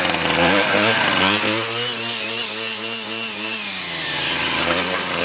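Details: 2001 Ryobi 775R straight-shaft two-stroke trimmer, cold-started after six primes and choke, with a clutch: catches, stumbles briefly, then revs up and holds a strong steady note, running healthy.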